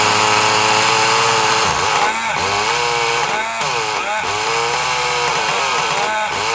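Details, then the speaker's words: Kyosho Mini Inferno nitro engine on a starter box with a weak motor: revs climb and fall with a soft, blubbery edge, never cleaning up crisp at the top; running too rich. "let's try a little bit leaner because it sounds really really rich but you know we'll find out"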